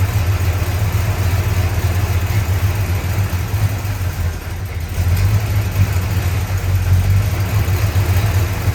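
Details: 1965 Chrysler 300 383 V8 after 17 years sitting in California desert, just revived: loud lumpy idle, uneven low beat, stumbling; smoke from leaked oil burning off, holed radiator; owner suspects timing slightly off.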